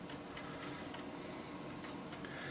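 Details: New Old Stock Amiga 1200 with 3.1 ROM, never used for 17 years, reading a Workbench 1.3 floppy: soft buzzy seeking with short head steps and a faint whirr under light hiss; floppy drive reads normally.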